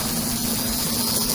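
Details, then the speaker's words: Aurora slot car (Lincoln) motor on transformer after being oiled and reassembled: even high hiss with faint steady hum, no rattles or dry scraping; much quieter than the dry sound before. "oh remember how dry it sound at the beginning of the Bing know what listen do it now yeah I don't want to see that's whisper quiet but that's a lot better that's a lot better very very good"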